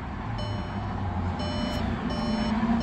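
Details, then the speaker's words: 2015 VW Passat B8 TDI at key-on during crank-no-start diagnosis: high chimes repeat about once a second over a low hum; tire-pressure warning sounding after the battery was run flat. "we have fuel ignition is on all the lights eventually go off t Ms is freaking out because I killed the battery once already trying to diagnose this"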